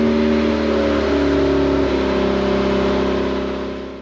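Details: 1988 Honda CRX Si before the muffler is replaced with a stock unit. A loud, raspy, blatty exhaust drone rising and falling slightly with revs; the muffler is rusted through with holes and leaking.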